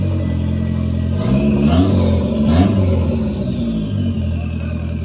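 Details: Toyota MR2 with a freshly swapped 3SGTE Gen4 engine, just started, exhaust not yet fitted. Engine catches and revs cleanly with throttle blips, loud and raw, no knocks. Healthy start and revving.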